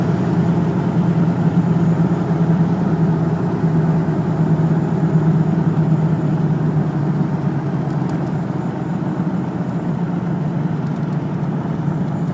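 Low, uneven engine hum with an irregular stumble in the beat at idle, no clear knock; sounds like a misfire, cause unknown.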